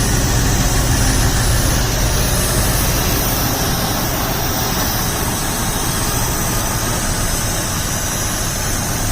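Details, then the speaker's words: 2000 Jeep Grand Cherokee 4.7L V8 idling after replacing fuel injectors and spark plugs (previously no acceleration above 2000 RPM, injector errors): steady even low rumble, slight tremble, no misses; a big vacuum leak remains. "all right so I'm going to let it run a little bit that sounds really good oh that is nice little bit of a tremble"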